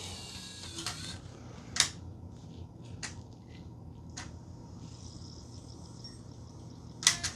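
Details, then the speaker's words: Red Nintendo Wii with disc read error, after silicone lube: drive grabs and spins disc, few clicks and short seek buzzes, then falls nearly silent; stops before reading, cause unknown. "So, we can see that it does grab the game and it spins it. I hear the laser going. Oh, but then it just stops."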